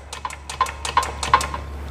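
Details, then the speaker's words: Peugeot 308 Valeo dual-mass flywheel, full kit replaced in 2024: loose metallic clatter in quick uneven bursts, the flywheel rattling again already. "А ми маємо, що він знов терібонькає. Так. І так само тоже терібонькає."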